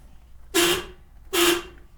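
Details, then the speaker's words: Car's original horn, before replacement with PIAA dual-tone horns, binaural recording: two short honks, thin and raspy with little body, owner calls it wimpy and easily unnoticed. Weak horn. "yeah it sounds kind of bad so we're going to fix that we're definitely make that better"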